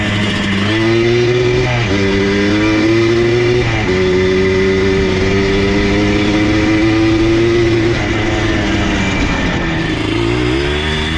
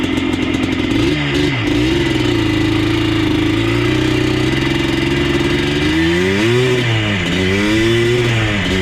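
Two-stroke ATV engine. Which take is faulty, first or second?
first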